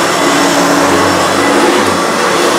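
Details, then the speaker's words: 1980s Hoover U2332 Turbopower upright vacuum running on carpet: steady motor whine with faint low wavering hum; agitator stalling as the worn belt is not taut enough, needs a new belt. "needed leave a new belt because I can I can hear the agitator sort of stalling because the belts obviously not taught enough"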